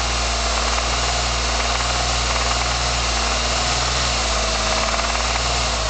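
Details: 1999 Ford SVT Contour petrol V6 at steady idle with a light, rapid ticking riding over the engine note; engine ticking at idle, cause not identified.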